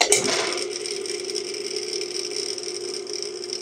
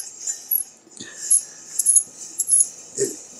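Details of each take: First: Rebuilt Dayton single-phase lathe motor with new bearings and start capacitor: smooth, even hum at a constant pitch, then it coasts down with a soft click from the centrifugal start switch; a healthy motor. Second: Dayton single-phase lathe motor during the rebuild, shaft turned by hand: a dry, scratchy scrunch returning roughly once a turn; the plastic start-switch insulator is rubbing the centrifugal clutch, later quieted with silicone grease.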